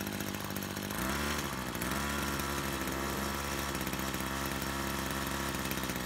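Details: Brush cutter two-stroke after repair of a fuel leak from a split hose (it had stalled while mowing): steady idle, then picks up cleanly to a higher, even rev with no misfire or stumble; normal.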